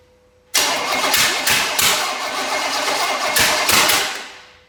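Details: Small block Chevy of unknown condition, fuel and brake cleaner added; uneven cranking about three pulses a second, winds down without catching; owner wonders whether a stuck valve is loosening; cranks but won't fire, cause suspected.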